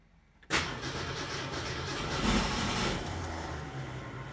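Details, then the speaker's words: 1967 Ford Mustang with Holley Sniper 1100 EFI: starter cranks, the engine catches with a brief rough burst, then dies within seconds as AFR jumps to 35.6; oxygen sensor failure suggested, not confirmed. "Okay, she briefly fired there. That was more than I've seen in a while."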